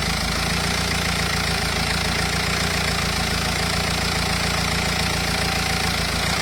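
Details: Renault Espace 2.0 dCi diesel at idle: rough, clattering tick about three or four times a second over the run, abnormal engine noise, cause unknown.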